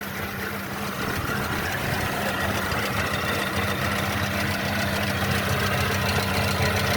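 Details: Mercedes-Benz M271 1.8 CGI Kompressor engine at idle: steady idle with a faint rhythmic rattle and a constant droning hum over it; abnormal engine noise, source not identified.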